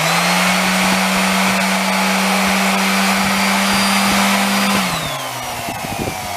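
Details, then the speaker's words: Orbital sander after repair: smooth, steady high whine at full speed with no shudder or rattle, winding down evenly; now runs much better with a nice bearing. "Okay, plug your ears. This thing does run a lot better."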